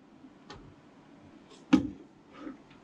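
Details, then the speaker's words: Panalytical Aeris XRD instrument checked for leaks with a radiation monitor around its seams and shutter area: only a handful of scattered, irregular clicks over a quiet hiss, under one count per second; normal background, no X-rays escaping. "you can see that there is no x-rays escaping from the body of this so i'm happy i didn't hear lots of clicks which is great news"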